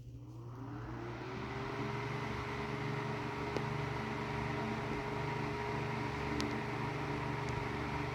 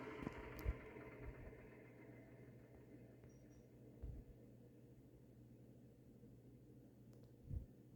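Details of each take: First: Tatung LA-12 12-inch 3-speed oscillating desk fan, about 1980, previously seized and repaired with a blown thermal fuse, running on high with the oscillator disengaged at about 60 W: steady hum with a faint hollow rattle from not-great motor bearings. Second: Tatung LA-12 12-inch 3-speed oscillating desk fan, about 1980, previously seized, bearings since flushed with oil, spin-down from high: soft whir fading evenly over low hum, no scraping or ticking; normal spin-down.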